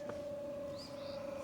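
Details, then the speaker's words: Vevor diesel heater for a camper van, first start after priming and the 300-second countdown, assumed on level 10: steady mid-pitched fan hum with light air rush as it draws in and pushes out air; normal startup. "Oh, it's sucking air in, pushing air out. So it's moving air at least."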